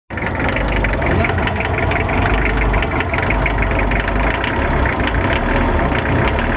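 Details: Asia Topic engine at a steady idle, with a rough, rapid clatter riding over it throughout. Some unidentified abnormal engine noise.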